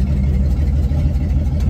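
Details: 1954 GMC 150 barn-find truck engine, first start after new plugs, wires, rotor and fuel line: deep, steady low idle rumble with even beat, no knocks or misses; normal idle.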